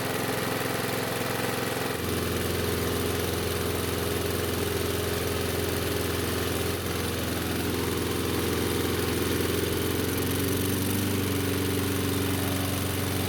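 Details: Curbside Toro mower said to smoke, test run fed by squeeze bottle without fuel tank: steady single-cylinder drone with one early pitch drop, then even but slightly low revs; ran about two minutes then ran out of gas.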